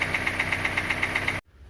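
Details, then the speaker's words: Kia Sportage 2.0 with G4KD engine, 160,000 mileage, before repair: sharp, even knocking about eight times a second over a steady idle, hard tapping from low in the block; piston slap, a known weakness of this engine. "Итак пробег у этого автомобиля 160 тысяч вот такой звук издает мотор неприятный будем чинить"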